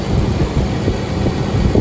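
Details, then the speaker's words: 2005 Ford F-150 Lariat 5.4L Triton that whined, after replacing serpentine belt, tensioner and idler pulley: steady, smooth idle rumble with no whine, chirp or squeal from belt or pulleys, even when revved; normal idle. "Let's rev it and see if we get any noises. Not a noise. Beautiful."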